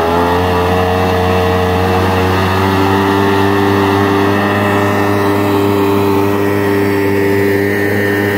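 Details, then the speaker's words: 1999 Yamaha SUV 1200 watercraft with a swapped-in SBT two-stroke engine and repaired carburetors, on its first load test at speed. Steady, even drone with no misfire or popping: running smoothly. "Matthew running very well sounds smooth that's him just leaning on the throttle"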